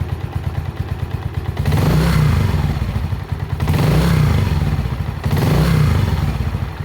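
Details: Honda CG125 single with a high-throttle running problem: revs up and settles three times, firing clean and even with no misses; owner suspects the pickup or generator coil.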